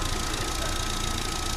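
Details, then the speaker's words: 2020 Chevrolet Captiva 1.5 misfire: uneven low thump with a skipping beat; swapping the coil driver transistors of 1 and 4 moved the fault to coil 4, confirming a damaged coil driver transistor, part to be replaced. "está la uno y ya no tenemos ningún inconveniente con la un sí efectivamente el transistor al estar dañado hace caer la la señal del del micro Así que efectivamente solo tenemos dañado el transistor ya lo corroboramos"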